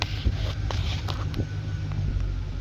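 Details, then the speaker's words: 2008 GMC Savana / Chevy Express van, earlier no-crank no-start, fuel very low; after repair it now starts and runs, no immobilizer light; steady even low rumble with light clicks settling into a clean idle, no misses. "So, as you can see now, vehicle starts and runs."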